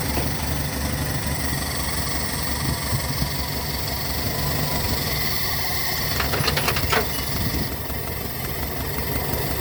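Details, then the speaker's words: Toyota petrol car with long cranking, poor fuel economy and weak climbing, at idle: engine runs uneven with a lumpy, stumbling beat and heavy vibration from a misfiring cylinder with a faulty spark plug. "आपने मिशिंग देख ली कितनी ज्यादा missing है engine vibrate कर रहा है बहुत ज्यादा"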